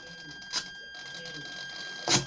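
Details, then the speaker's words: Faulty aileron servo from a crashed Trojan T-28 RC warbird, bench-tested: two sharp pops about 1.5 s apart over a faint hum; a bad tooth on a servo gear is skipping. "see that it's got a bad tooth on one of the gears in the servo"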